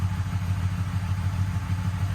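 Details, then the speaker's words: Motorcycle after starter clutch and stator repair, charging about 14.16 volts, warmed up: steady even low idle thrum with no knocks, ticks or misses; normal idle. "now that we know that the uh proper voltage is running through the system it's idling beautiful how fantastic is that"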